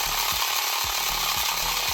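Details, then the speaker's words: 1980s Tomy Turnin' Turbo toy dashboard after repair: a steady high buzzing motor whir with a soft regular tick; the road moves and the fuel panel slowly comes down, so the gear train is turning normally. "Our fuel panel is slowly coming down as well. Lovely, right, so that's all looking to be working."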